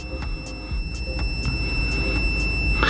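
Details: EMECO capacitor discharger V5.0 draining a high-voltage capacitor at about 50 volts: thin steady high tone with quick ticking pulses, three or four a second, fading as the charge drops while the LED stays lit; alert working as intended.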